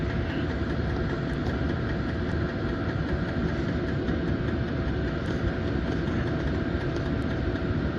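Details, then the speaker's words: 5 kW Chinese diesel air heater with upgraded exhaust pipe, powered by a VTOMAN Jump 1000 power station, turned down from warm running to power 1, its lowest overnight setting: steady low hum, soft even roar, no knocks or surging. "This will get us down to the lowest setting. And this is the one you'd have on overnight if you was camping out."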